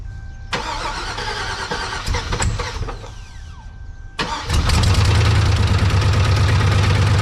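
Key-on chime, then the engine catches and settles into a rough idle with a fast, steady metallic rattle riding over it; source unknown.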